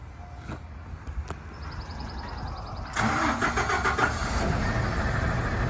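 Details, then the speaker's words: 2005 Ford F-750 boom truck with a Cummins diesel, 46,000 miles and a manual transmission. It cranks briefly, catches around three seconds and settles into a steady, even idle; said to run super good. Normal start and idle. "Super nice truck, runs super good. It's got a Cummins in it. So we'll fire it up, let you hear it."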